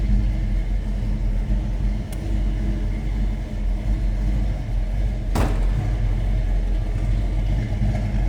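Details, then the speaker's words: 1965 Ford Mustang convertible, C-code 289 V8 rebuilt and bored slightly, mild cam, Edelbrock 4-barrel, newer exhaust, C4 automatic: a deep idle rumble with a slight cam lope and no knocks or ticks; a healthy warm idle. "Told you that baby had a little cam to it, and when they rebuilt it, it was bored out slightly, so it's healthy."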